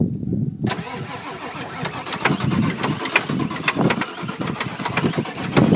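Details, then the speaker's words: 1995 Ford F-250 7.3L Powerstroke diesel needing a glow plug relay, batteries run down and on charger, ether sprayed, held at half throttle; starter churns steadily with compression beats about twice a second but never catches. Long crank, no start. "hold her about half throttle not working you go give her a spray yeah all right batteries need to charge another couple minutes"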